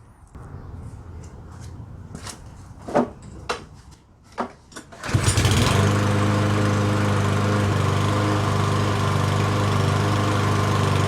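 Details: Yardworks self-propelled mower, 173cc engine, brake handle and cable temporarily rigged so the ignition coil is no longer grounded out: after clanking handling it fires on the pull, steady even drone, no surging or stumbling; normal running.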